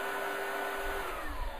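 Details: Oreck Commercial PRO12 single-motor upright vacuum, two belts, with a circuit board and green light monitoring belt speed: a steady high motor whine with smooth airflow rush, no rattles or slipping. Normal running.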